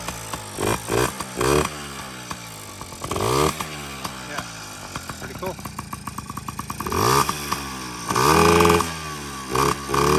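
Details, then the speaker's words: Yamaha PW50 two-stroke with new top end, on premix, intake off, once only giving a faint ping when kicked; crisp blips rising and falling with throttle between quieter idle stretches, raspy intake, now running healthy. "Yeah, I probably kicked this a million times, and it would only get, once in a while, it would get like a little ping, like a spark. That was it. No longer a parts bike."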